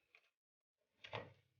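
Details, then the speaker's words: Refrigerator compressor fitted with a current relay (compared with a PTC), switched off after running at 0.7 A and restarted at once: one sharp click, then a faint hum. The compressor fails to start, current near 4.4 A, and the overload protector trips. "diperhatikan di sana kompresor tidak menyala hampir terbaca 4,4 ya dan terdengar suara ketik ya protect pada overload"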